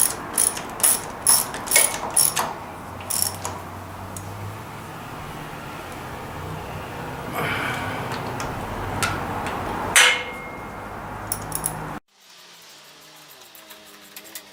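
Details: Restored Racine power hacksaw running after its frozen ram and arm were freed, giving quick uneven ratcheting clicks from the mechanism cycling freely under music; running without binding, though the hydraulics still aren't working.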